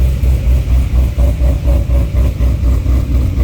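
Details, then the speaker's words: C6 Corvette Z06 with Akrapovic dual-mode catback, cold start, exhaust valves closed: steady low burble, slightly raspy muffled tone, low tones reduced, no misses or ticks. "makes it sound a little more raspy gets rid of a lot of the low tones that you feel in your chest all the time"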